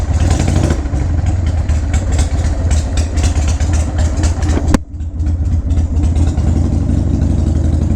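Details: 2001 Harley-Davidson 1200cc, first start after sitting in a garage: steady, lumpy V-twin idle with an even loping beat of about four pulses a second and no knocks or rattles. It runs healthy.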